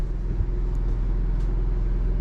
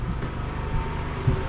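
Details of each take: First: Built-in Onan generator in a toy hauler RV, heard inside at the very back of the trailer: steady loud low drone with an even engine pulse filling the room; the onboard generator is very noisy inside. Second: Inverter generator loaded with water heater and microwave at about 3500 watts, no waveform distortion: low, even, quiet drone with no surging or knocking; barely making noise, running healthy.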